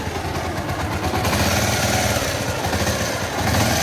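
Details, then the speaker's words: Motorcycle with heating problem after tappet (valve clearance) adjustment: steady single-cylinder idle with no tappet chatter, only a faint light rattle underneath from a worn scissor gear; scissor gear noise. "और इसमें थोड़ी sound जो है वो scissor gear का है scissor gear इस खराब है पर इसमें वो साउंड नहीं है जो टाइ पड का छनछन हट की आवाज आती है वो साउंड नहीं है"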